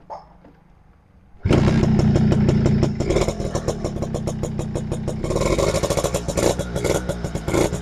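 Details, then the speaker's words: Suzuki RC100 two-stroke motorcycle started outdoors after its dirty parts were cleaned, mic held close to the engine and exhaust: it catches and settles into a crisp, rapid, smooth two-stroke beat with light revs, running clean and healthy. "klip suara masih renyah ini guys suaranya masih renyah ini mesin halus saya dekatkan saya dekatkan micnya ini ya"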